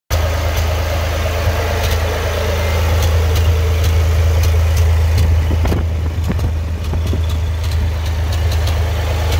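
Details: 1970 Massey Ferguson 135 with a Perkins three-cylinder gas engine, fitted with new spark plugs, plug wires, condenser and points, idles with an uneven, stumbling beat, missing a firing every so often; the misfire cause is unknown.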